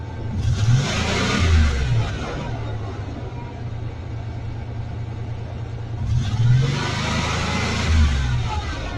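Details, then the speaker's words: 1989 Chevrolet S10 Blazer, revved twice with a faint top-end tapping the owner attributes to lifters; oil pressure gauge fluctuates and drops with a check-gauges warning; owner suspects a failing oil pump. "so if you see the oil pump fluctuating like that look what it says right there check gauges"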